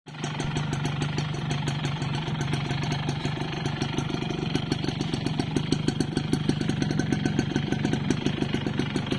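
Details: Yamaha Force 1 (F1ZR) two-stroke idling with a quick, hollow metallic rattle on every stroke: piston slap.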